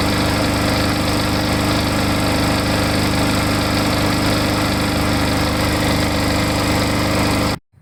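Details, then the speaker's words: Surging lawn mower after Seafoam plus an extra capful shaken into the tank: runs at steady, even speed for several seconds, no hunting or surging, before cutting off; much improved. "i started up and it it really seems to be a lot better you know it i guess if i keep running it it'll probably just clear up all together"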